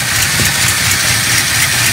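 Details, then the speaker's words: Long-abandoned Ford F100 V8, possibly a 1968, revived and idling: even, low burble with a steady rhythm and no knocks or misses over some hiss; a smooth, healthy idle. "bueno está regulando se escucha nada daño sin pecar en motores"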